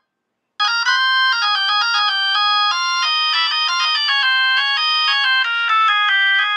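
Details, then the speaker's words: Vintage Leslie upper horn driver (V21) on a test setup at high volume: clear stepped test tones with no rasp or buzz. The driver sounds clean and healthy. "that sounds good that's good that's good clean v21 that sounds fantastic"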